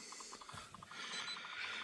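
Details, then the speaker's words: Hyundai i10 with a non-working horn: pressing the horn gives a rapid run of light relay clicks and no horn note at all. "when you press it I don't know if you can hear the clicking noise but I can hear a relay clicking"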